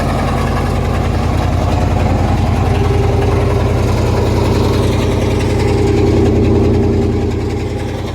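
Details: Two-door Chevrolet Tahoe, started after sitting for months, with ticking, knocking and banging and an oil leak; rough low idle with an uneven knock about 2.5 per second, source unclear.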